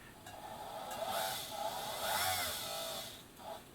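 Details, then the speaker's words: 1965 Bernina Record 730 sewing machine, foot pedal pressed: motor whirrs up and down showing power is delivered, but the hand wheel does not turn and there is no needle clatter; slipping motor drive belt. "you can hear the motor tuning so you know you know you've got power there's power being delivered to the motor and they're putting my foot down and you can hear it doing its thing but the hand wheels not turning"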